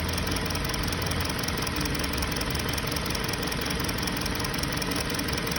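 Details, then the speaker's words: 2020 Hyundai Sonata, check engine light on, idling: uneven lumpy idle and engine shake, about three beats a second, unchanged with one coil unplugged; scanner shows cylinder 2 misfire, plugs and coil fine, injector suspected stuck open. "فالحين شوفوا، شايفين المحرك كيف يهتز؟ واضح الاهتزاز فيه. واضح شيء."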